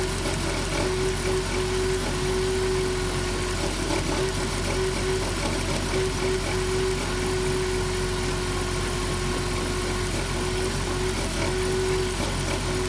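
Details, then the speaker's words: 2007 Dodge Grand Caravan at rough idle: uneven, occasionally stumbling beat under a faint steady whine. Misfire caused by a damaged spark plug wire boot arcing to the block, found with lights off; the plug wires need replacing. "oh it's a plug wire look at that see that hogwired arcing the boots damaged we gotta replace the smoke Loop turn off the lights well that's what's going on the spark plug wires damage"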